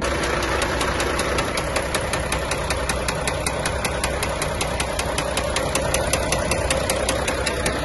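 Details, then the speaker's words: Volvo FH460 truck, 2014, D13C diesel, 1.4 million km: sharp metallic knocks two to three a second hammering evenly over the idle, a rod knock; the engine later stalled and would no longer turn on the starter. "А 460. у него застучал двигатель. Покажем видео, как работает."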